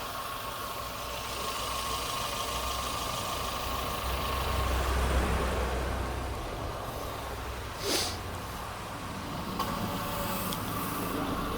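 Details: Renault Sandero 1.6 8V with intermittent P0303/DF061 cylinder 3 misfire code, idling with AC and electrical loads on during ignition testing; even steady idle hum with no stumbles, and no ignition misfire was found.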